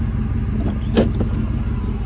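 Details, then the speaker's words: 1998 Ford Expedition 5.4 with rebuilt engine, after reseating a leaking mass airflow sensor grommet that had caused a rough idle: steady even low exhaust idle rumble, no hiccups or hunting. Idling perfectly. "and now you can actually hear the exhaust idling perfect um"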